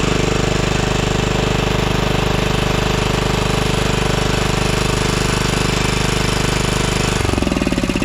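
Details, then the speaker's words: 2012 Toro Timecutter SS 5000 zero-turn mower (model 74630), twin-cylinder engine running on one cylinder: hard jackhammer-like thumping about 3.5 beats a second; swapping the coils gave the same result, ruling out spark and pointing to that side of the engine. "it swapped coils same result so that does tell us that both these coils are good um so we don't need to go and Source a new coil so it's not a spark problem uh it is a side of the engine problem"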